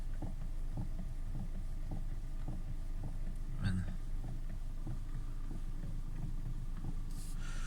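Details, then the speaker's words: 2013 Hyundai Elantra: low road rumble with faint irregular knocks about twice a second over rough dirt road, none on smooth road, also knocks when steering; ball joints, stabilizer links, bushings, tie rod ends replaced and steering rack checked OK, source still unknown. "Мынандай стук бар, жүргенде тегіс жолда стук жоқ. Шоқалақ қара жолға түскенде бірдеме тықылдайды. Рөлді бит бұрғанда тықылдайды."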